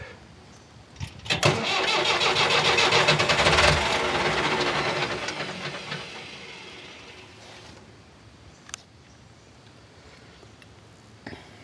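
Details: Engine that won't start even on full throttle: fast cranking builds as it catches for a few seconds, then revs sag and it dies; cranks, catches briefly and dies.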